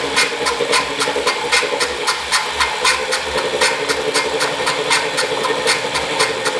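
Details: Wahoo Kickr Core bike trainer, about 2,500 miles, side view: steady hissing whir with a sharp regular click about four times a second; a loud bearing noise that began suddenly, suspected bad bearing.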